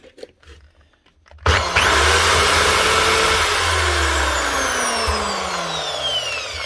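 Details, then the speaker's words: Bosch PSB 550 RET drill with faulty chuck needing replacement, motor itself fine; spins up sharply to a high steady whine then winds down smoothly without grinding, chuck not working well but still turns. "Works. Just a chuck isn't working the best. Well, still turns."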